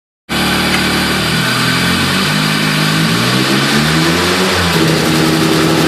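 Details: Nissan PS13 with SR20DET misfiring when accelerating: revs climb unevenly, the note stumbling and wavering instead of pulling cleanly. Cause still being investigated.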